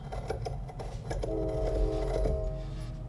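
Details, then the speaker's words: Precision 5858 journal-bearing turbo off an Audi S4, wheel turned by hand, no up-and-down play and not touching housing: short scraping rasps with rumble behind (train passing), metal-on-metal contact, failed turbo bearing. "sorry about the train but this is the noise we're getting now so that's the noise of some metal on metal contact"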